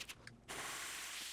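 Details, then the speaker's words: First test run of a DIY tilting 2x72 belt grinder with a 2 HP Iron Horse motor: a few light clicks, then a steady bright hiss of the belt grinding evenly without chatter; the lower platen wheel was slightly misaligned and adjusted later. "Oh, and it does. Man, is it a nice, sweet machine."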